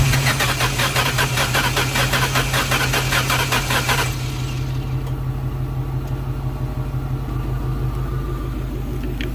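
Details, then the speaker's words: 2004 Mustang GT that sat about six weeks, with new fuel pump, coil packs and plugs, spark verified, on jumper cables: steady even cranking about four seconds, no start; sounds like weak battery, some popping, strong fuel smell. "how does that crank sound to you guys sounds like maybe like a weak battery but not uneven"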